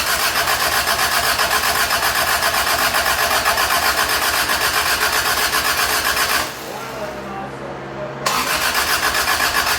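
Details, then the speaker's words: Toyota Tercel 3A-C engine just reinstalled, third start attempt after fuel lines were connected: flooded on choke, choke shut off and throttle given; rapid firing at high revs dips briefly then picks back up as it clears. "I'm like, we need to shut the choke off because it's flooded. Yeah. And then give us some gas."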